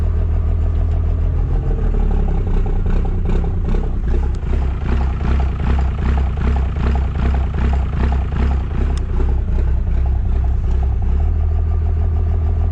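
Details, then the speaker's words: Diesel pickup with 24-valve engine converted to a P-pump, idling in gear: deep idle with a steady, even rise-and-fall lope about twice a second, new since the swap; normal P-pump lope. "It is crazy how much that Ppump has changed the sound of this thing. When you put it in gear, it just lopes. It sounds awesome."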